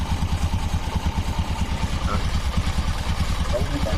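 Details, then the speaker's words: Honda Supra X 125 carburetted four-stroke after new bore, valves and cam chain tensioner, valve clearance set to 0.05: steady even idle thump, no ticking or rattle, idling cleanly. "coba Tuh kan lembut suaranya"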